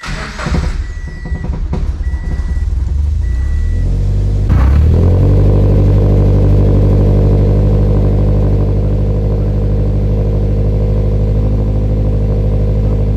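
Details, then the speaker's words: Turbocharged Scion FR-S first start after fitting new fuel system, fuel pump and larger injectors: chimes, short crank, then catches into smooth steady idle with no stumble or leaks, running better than before; normal start and idle. "surprising it ran better it runs better now with the new fuel system and big old injectors than it did before how does that even work"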